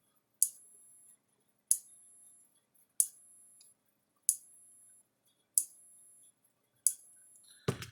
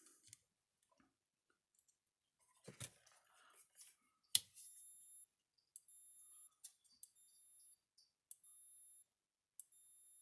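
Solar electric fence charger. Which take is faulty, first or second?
first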